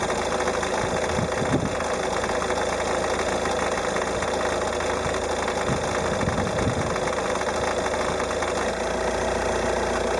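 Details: Peugeot 308 HDI 1.6 90hp diesel, 66,000 km, cold idle around 820-825 rpm: light, even clatter over steady idle, gone above about 880-900 rpm; cold-idle clatter, cause unknown.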